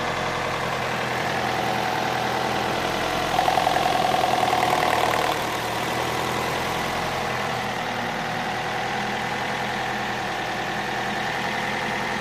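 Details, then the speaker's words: Opel Astra H at idle: faint, irregular tapping of about three to four knocks a second under a steady hum. The sound seems to come from the rear, near the ECU (ИБУ) area; owner says it is not gears and there are no error codes. Engine knock at idle. "звук откуда-то вот отсюда сзади. Вот где-то в районе ИБУ, там где-то. Это не шестерни, ошибок никаких нету."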